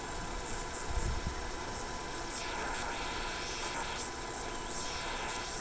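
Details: Mykit System 7 electronic project kit built as a 3-volt AM radio with OTL output: only a steady, even hiss of static from the speaker, no station coming through. Volume control is dirty and suspected open, not confirmed.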